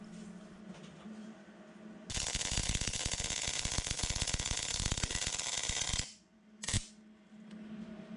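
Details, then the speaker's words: Vintage Hobart MIG welder after torch O-ring replacement, on plate probably thicker than the welder suits: about four seconds of uneven, sputtering crackle that cuts out abruptly. Owner suspects wire feed speed; no porosity in the weld. Irregular MIG weld crackle. "let's go ahead and give this a quick try and although that sounds a little weird I think it's a wire feed speed issue"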